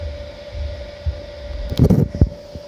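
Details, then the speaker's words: Kenmore electric dryer made by Frigidaire, reassembled after the repair for loudness on heat cycles, on high heat for four to five minutes: steady low hum, even whir and a couple of light bumps, with no roar or scraping. Normal quiet operation. "so there we go it's been running for four or five minutes now and certainly by now it would have made that loud noise so"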